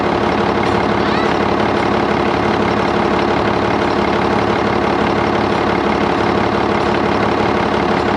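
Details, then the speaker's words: Auction-bought diesel dump haul truck started after service to check for air and transmission fluid leaks, exhaust rain cap flapper fitted: steady, even idle around three firings a second, no knocks or misses; engine seems to run good. "for the most part i'm pretty confident at this part we got some good bones the engine seems to run good transmission seems to shift good"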